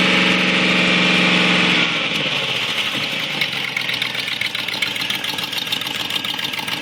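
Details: 2004 Discovery that owner says sounds like a muscle car. After a rev the idle settles with a sharp, regular puffing tick, about 3–4 per second. Exhaust leak; the exhaust manifold gasket was replaced.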